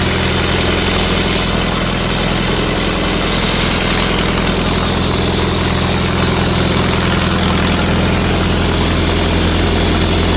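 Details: 1964 LeRoi 125G1 trailer air compressor, no muffler (straight pipe), warming up unloaded with the output wide open: very loud, steady, even beat with no knocks or stumbles; runs normally.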